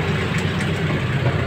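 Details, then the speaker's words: Honda Click 150i scooter at idle, still loud after bearings (incl. bracket/wheel bearing), wheel and gear oil were all replaced; steady low drone with uneven rough rumble underneath, worn bearing noise persists. "Ito may problema yung motor click 150i makikita niyo bagong palit ng bearing pinalit ng bearing to Pinalitan ng pangit Marami ng pinalitan dito kas nga may malakas yung tunog"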